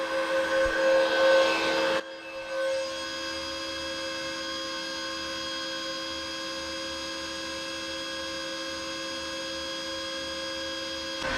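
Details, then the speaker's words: Off-grid Bitcoin miner running on excess solar power, starting up and testing hashboards on a 32-degree day: steady high-pitched electrical whine with fixed tones, rushing air dropping away; normal startup. "Yeah, you can hear this high-pitched humming in the background. That's the Bitcoin miner."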